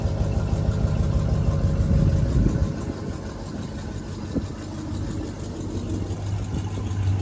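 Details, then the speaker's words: 1973 Chevrolet G20 factory camper conversion van, V8 idling low and lumpy with a soft puffing pulse about three a second from a slight exhaust leak, left unrepaired. "as you can hear the truck has a slight exhaust leak decided to leave it alone"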